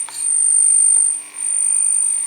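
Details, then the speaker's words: Model train locomotive on the EMS system: a thin, steady, very high-pitched squeal over a quiet background, the annoying EMS motor-drive squeal that a filter in the locomotive might reduce. "Beziehungsweise ich klemme mal den EMS-Baustein vielleicht einfach ab. Ich klemme mal das hier rein. Dieses Quietschen."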